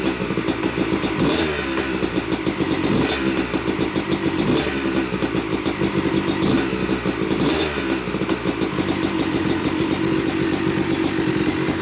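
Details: Yamaha YZ250 two-stroke (270cc/250cc) motocross bike, first start after a full engine rebuild (bottom end, transmission, bearings, clutch, power valve), took a few kicks: crisp crackle picking up cleanly with each throttle blip and settling back without missing; smoke from assembly oils normal; runs normally.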